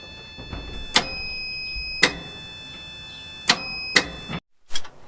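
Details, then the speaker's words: 1964 Dodge D-100 that won't start, key turned to start: sharp single clicks with no cranking from a bad starter relay, not the starter; wiring and connections in poor, taped condition. "You can hear it. You can just hear it clicking in that relay. It's not the starter clicking, that's that relay."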